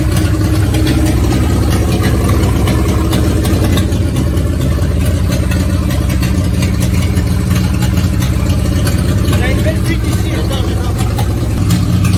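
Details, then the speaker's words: Renault 4L rally car running after fuel filter change: round, steady idle with low drone and constant hiss beneath; big leak heard. "bon alors elle tombe elle tourne vraiment rond le seul problème enfin le bruit des huit que vous avez entendu 6 et 8 il ya une énorme fuite"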